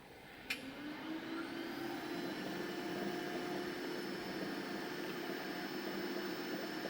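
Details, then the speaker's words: Orbitalum Orbimat 165 CA orbital welder power source, quick function test with start weld: steady pump and fan hum with cooling water and gas running, faint tone settling after a click; no knocks or grinding, runs normally. "Water's running, you can hear the water running. Gas is also running there."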